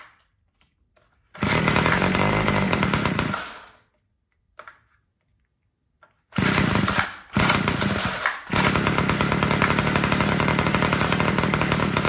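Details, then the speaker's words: Homelite two-stroke string trimmer that wouldn't start, primed and on full choke; catches and buzzes, fades and dies after a couple seconds, restarts and stumbles; idle screw looks correct, sounds like running out of gas, low-end mixture to be richened. "It sounds like it's just running out of gas. So we just probably need to richen it up a little bit."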